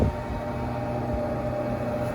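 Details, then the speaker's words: Rooftop HVAC air conditioning unit during troubleshooting: after a click, the fan ramps up to a low, steady hum and holds, running evenly with no grinding or squeal; normal fan start. "my fan my fans trying up I believe this one having have an easy fan so it's not your plea no direct connection with a contact or really I could get my side ramping up"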